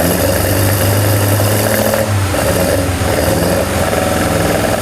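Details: Freshly built BMW M42/M44/M47-B21 hybrid with Toyota ITBs and K20 Wiseco pistons, shortly after first start: even, steady low idle rumble, no misses or knocks; leak later found due to thick head gasket.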